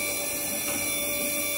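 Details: Stratos SR40 scissor hoist, hydraulic pump raising after 60-second air purge following installation: steady even electric hum with high constant whine, no surging or knocking; normal pump operation.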